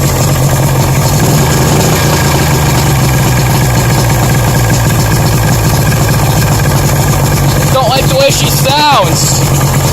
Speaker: she's running good she's making a knocking sound I'll go better rod knock or what or a piston slap